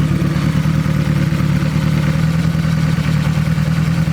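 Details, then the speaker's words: Turbo 1.8 Chevy Cruze after a new timing belt, pulleys and tensioner: smooth, steady low idle, with the earlier belt rattle and slop gone; normal idle. "That belt noise, that rattle that we had there before is gone. The slop is gone. You can really see that tensioner down there going to work, so sounds much better."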